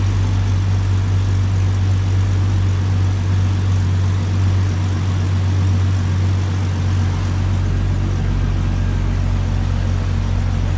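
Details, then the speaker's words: 1998 Jeep Cherokee XJ at idle after replacing the leaking exhaust manifold/header and Felpro gasket a second time; deep, steady, even hum with no ticking or puffing, exhaust leak noise gone, some smoke from preservative burning off the new header. "That's just all the preservative burning off of that new header. But all the exhaust noise is gone under the hood."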